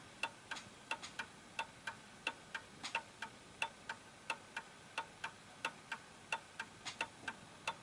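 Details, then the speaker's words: Vintage Napoleon hat Westminster chime mantle clock, after adjusting it left and right to set the beat: crisp, evenly spaced ticks about 88 a minute with no limp; in beat and running properly. "okay so there we go that's ticking away nicely"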